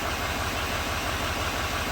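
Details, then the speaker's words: 2017 GMC Sierra 2500 HD 6.6L diesel with code P021A after replacing the number 7 injector connector: even, steady diesel clatter at idle with no skip; misfire counters read all zeros. "eight yeah it's working now get out of here and look at the misfire founders should be all zeros beautiful"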